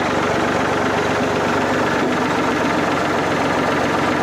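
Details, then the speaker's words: Old farm tractor running at full fast idle, steady, even and unbroken; the way an old piece of equipment is supposed to sound: healthy. "There's the way a old piece of equipment is supposed to sound. Full fast idle."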